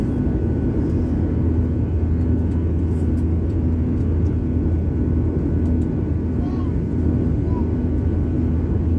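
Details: Airblue aircraft climbing out after takeoff from Skardu airport: steady heavy roar with a low throbbing hum, an unusual engine sound starting about 20 seconds after takeoff; cause not clear.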